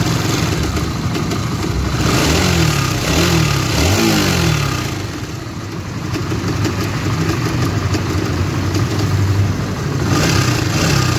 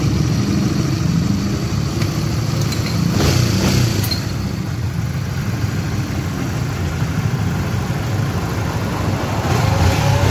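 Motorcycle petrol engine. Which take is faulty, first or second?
first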